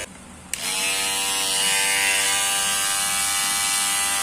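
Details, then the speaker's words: Kemei hair clipper after cleaning and adjustment: a click switches it on, then a steady, even high-pitched buzz with no rattle; the noise is greatly reduced. "gente está impressionante o barulho amenizou bastante"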